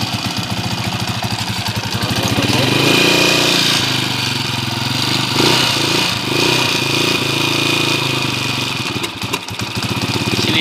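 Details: Honda TMX155 single-cylinder idling with a loud, busy mechanical clatter and occasional stumble, still noisy after four mechanics worked on it. It stalls with the choke down. Cause: the crankshaft timing gear is not seated flush.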